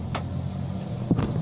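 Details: 2004 Ford Territory AWD: a few sharp, uneven knocks from the front left corner over a low vehicle hum; cause unknown.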